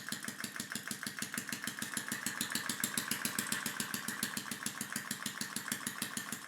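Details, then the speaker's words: Homemade air engine running on water-pressurized tank air: fast, even clacking about seven beats a second with a hissy edge, overspeeding because the inlet valve admits too much air; fix was shortening the valve-opening pin. "it's spinning way faster than it needs to be and running out of air"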